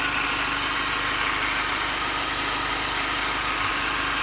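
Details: 2005 Mini Cooper S at idle: steady high-pitched whine and hiss over quiet idle, unchanging; accessory drive noise, owner suspects idler pulley.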